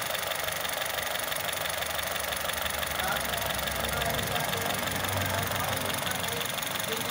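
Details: Honda City i-VTEC rough idle, uneven stumble about three beats a second against steady hum; dead cylinder from bad coil pack, coil pack changed.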